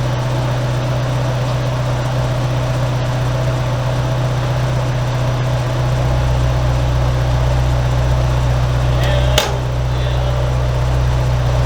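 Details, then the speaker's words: Toyota AE86 4A-GE, warmed-up engine idling after the raccoon-damaged radiator was replaced with a new one: steady deep idle with an even beat, fan rushing in the background, running smoothly; normal warm idle. "Car was warmed up. I've done this twice so far, so pretty confident we should be pretty good."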